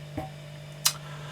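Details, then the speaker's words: Junghans torsion clock, beat set by adjusting the pin-to-anchor relationship: a light tick then a firmer main tick each direction over a faint steady hum, even beat; normal in-beat tick. "you can hear the the different ticks there's a light one then the main one again the other direction you've got the little one then you've got the main one"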